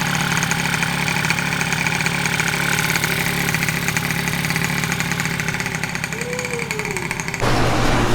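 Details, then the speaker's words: Freshly finished Honda Elite 120cc stroker two-stroke scooter engine at first start, with brakes not yet fitted. A steady buzzy idle and a quick rev that climbs and settles cleanly, so it runs healthy. "but everything else, bro, she starts, she runs. Motor's finished."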